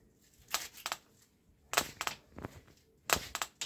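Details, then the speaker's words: Shulz Wanderer bicycle saddle pressed by hand: sharp dry creaks in small clusters each press; lubricating the rails and tightening the bolts did not help, cause unresolved. "она все равно скрипит затягивание болтов также не помогла"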